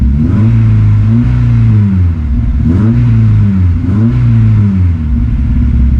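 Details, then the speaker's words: 2006 Honda S2000 AP2 6-speed manual, cold start: revs with a lumpy, stumbling beat between blips that smooths out and disappears once warm; cold-start misfire, owner doubts a burnt valve. "Alright. Just so you know, see, it is cold. Hit that clutch. Hear that mist, but it clears up."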